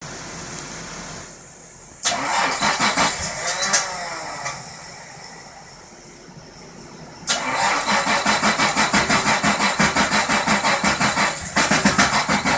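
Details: 1977 Datsun 280Z: two long bursts of quick, even starter cranking at about three beats a second; the engine turns over but never fires, cause unknown.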